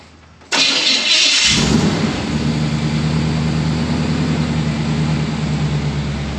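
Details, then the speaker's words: Ol Blue tall-deck V8 after an all-new exhaust and ignition change to a Unilite adjustable-height distributor: brief crank, catches, steady deep idle with no exhaust leak ticking or puffing; previous exhaust leak fixed. "Hear that? Hear that complete lack of exhaust leak? We knew that it had an exhaust leak."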